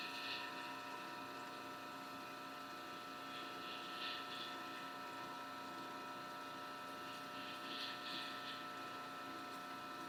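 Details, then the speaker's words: Homemade rotary phase converter idler motor after adding an extra run capacitor; steady hum with a hissy swell coming and going every few seconds, amperage seemingly fluctuating more; motor surging from excess run capacitance. "Kind of seems like it's fluctuating a little bit more than it was. I don't know if you can hear it in the video. The motor kind of sounds like it's making a little bit of a weird noise there. It kind of comes and goes."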